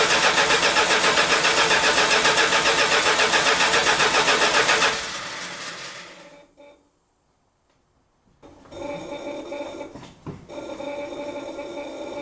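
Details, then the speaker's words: 1971 Chrysler New Yorker after new tank, sender, fuel pump and AVS2 carburetor, first start after five months stored: even cranking near four beats a second for five seconds, never catches; fuel starvation with the carburetor fuel bowl dry. "oh no she dries a bone okay i must fill up the fuel bowl"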